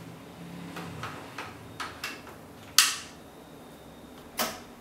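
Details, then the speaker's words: Relay click as a 240V 1.6A resistive load (discharger) engages to begin a capacity-measuring discharge cycle on a Toyota Prius NHW20 high-voltage traction battery, with the discharger's cooling fans whirring steadily; normal discharge start. "you hear the clicking sound of the high voltage relay and this charge has started"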